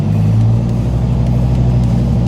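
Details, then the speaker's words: Dodge Viper on its first real drive with a new GCC triple-disc clutch, pulling off in first gear: steady, even engine drone with smooth take-up and no chatter or judder. Clean, smooth engagement. "I can actually hear the fresh flywheel and friction surfaces. And it has that fresh brake pad kind of a sound to it. Very smooth. smooth engagement."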